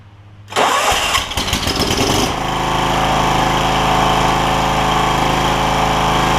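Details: John Deere LX172, Kawasaki FC420V, after replacing spark plug, ignition coil and igniter for backfire on starting; fuel valve reopened, carb spray in intake, throttle cable bad: cranks briefly, catches cleanly, steady idle with no pops or backfire; normal start.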